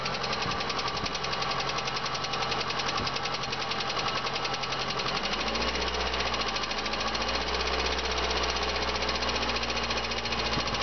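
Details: VAZ 2112 16-valve engine running with a fast, uneven metallic tapping over its hum, steady throughout. Knock inside the engine, cause not confirmed. Engine knock.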